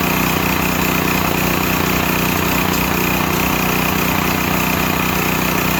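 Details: Used Stanley 8000 W all-weather generator, sat four years, started on starting fluid, meter reads 52 Hz and 7 (possibly 7 hours), new air filter; mic farther away, steady rapid drone at constant speed, no surging or misses, works fine.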